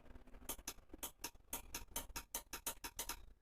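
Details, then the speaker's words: RO water purifier float switch after refitting the micro switch on the other side: crisp, sharp, distinct clicks as the float ball is lifted, micro switch snapping over properly, switch-to-ball relation now correct. "यह ऐसा आवाज आना चाहिए। देखिएगा। अगर ऐसा आवाज आता है तो अपना माइक्रो स्विच और जो बॉल है तो ये इसका रिलेशन प्रॉपर तरीके से ऐसा हम मान सकते हैं।"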